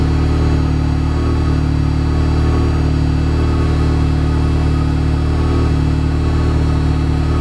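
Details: Ford Sapphire RS Cosworth just after a new fuel pump loom was fitted, with the pump getting 12.7 volts: a low, steady idle with an even beat and no knocks or misses; the engine runs cleanly.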